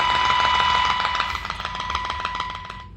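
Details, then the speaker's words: 1946-48 Sparton Model 6-26 radio during IF alignment with weak modulated signal around 40 mV: loud, steady high-pitched 1 kHz tone from the speaker; IF alignment test tone. "I can still hear that 1K Herz tone"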